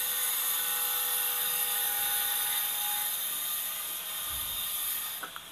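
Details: Sanyo washing machine after float replacement, spin test: steady high-pitched drain pump whir as it empties before spin, no odd noises; the drum bearing is otherwise noted as loose and loud.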